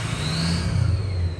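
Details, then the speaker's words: Mostly stock Ford 6.0 Powerstroke after head studs and head gaskets, with the previously dead exhaust back pressure sensor now reading: the engine revs and a clear high turbo whistle rises and holds with throttle. The turbo is spooling properly. "and now it's reading which is why you hear that sweet sweet sweet 6-0 noise going on"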